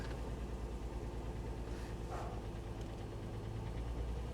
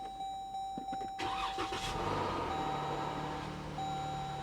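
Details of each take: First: 2008 Mercedes ML350 at 186,000-odd miles on start: deep, uneven, lumpy idle with some knocking underneath and a flashing check engine light. Misfiring and running rough; balance shaft issue suspected. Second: Likely 2014 Dodge Durango with 8-speed transmission at a Copart auction, nearly out of fuel, oil change due: quick crank, catches cleanly within a second and settles into a steady, even idle. Normal start.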